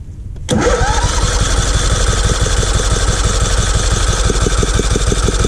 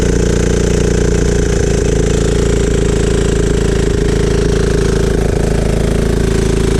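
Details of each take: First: Free riding mower being revived, spark confirmed, plug black, sanded and gapped: steady starter cranking about three beats a second, engine catching now and then but not running, sounds close to starting before choke applied; cranking, tries to fire but won't start. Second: Free riding mower after spark plug cleaned and gapped and choked to start: loud, steady single-cylinder chug at constant speed with no misses or stumbles; running normally.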